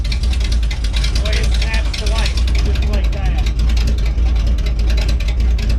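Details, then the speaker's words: Healthy 52 Ford rat rod V8 left running a few minutes with fluids checked and oil good, exhaust coming out the fenders instead of the stacks, loud deep uneven rumble with rev blips, no knocks or ticks. "um yeah I can't believe how well that thing just started right up so perfect"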